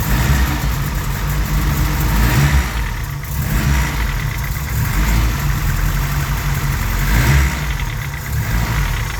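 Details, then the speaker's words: Honda Civic with G23 block, F23A5 internals from a Prelude: uneven low knocking clatter under rough cold idle, tractor-like, loudest at idle, around cylinder one or two; piston slap. "it's when he addling make more noise so again you see when it's adding making more noise like a tractor so that's the Piston slap"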